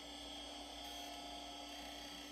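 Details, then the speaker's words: IBM PS/2 55SX with a replacement logic board at power-on: the hard drive spins up and the fan hisses, but no POST beep comes and the keyboard lights stay solid. Owner guesses something is hung up. "definitely trying just waiting for a beep no beeps yet I've got solid lights on the keyboard so I'm guessing something is hung up"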